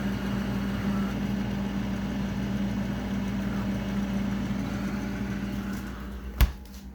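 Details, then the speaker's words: Frigidaire refrigerator, owner says low on charge and icing up: steady loud low compressor hum with a sharp click near the end, rough-sounding and recurring; possible strain from pressure, cause unconfirmed. "and yes this sound does get very annoying thank you [Music] it also scares the living hell out of me sometimes because sometimes I don't realize that it's the fridge at first"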